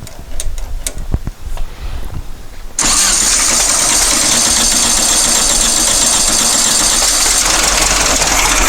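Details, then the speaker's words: Dune buggy after a new fuel pump pushrod: a few cranking bursts, then a fast, steady, raspy run that never settles to idle; engine will not idle, partly because the number four spark plug was not hooked up. "i discovered part of the running problem number four spark plug was not hooked up"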